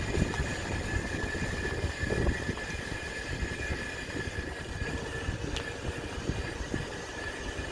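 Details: 2013 Range Rover Evoque, 77k miles, turbo and manifold recently replaced: a thin metallic grinding with high scraping comes and goes from the right side; cause unknown.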